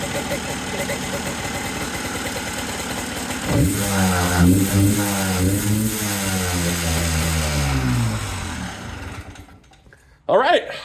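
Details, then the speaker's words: Hard-used Yamaha Blaster two-stroke quad after correcting a backed-out throttle cable adjustment: throttle blips rise and fall crisply, then return cleanly to idle. Transmission seal still leaking oil. Normal running. "that was it very good okay uh it's still dumping oil out of that transmission seal so I have yet to figure that out but it now runs and throttles and Idols which is really dope"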